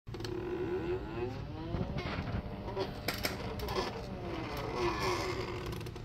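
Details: 3D-printed PLA worm gear driven by stepper motor via Arduino and A4988 driver, first prototype: continuous rasping, creaking scrape rising and falling as it turns, suspected from PLA weaknesses and tolerance issues.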